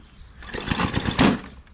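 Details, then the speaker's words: Old lawn mower with a bent shaft, possibly flooded after being on its side: rough, uneven firing pulses, then one heavy thump and the engine dies; seems to have no compression afterward, cause unclear. "that doesn't sound good did you hear that did you hear that thump I heard a thump tighten that bolt in enough and it could I don't know it's very temperamental all right not sure she seems like she has no compression now"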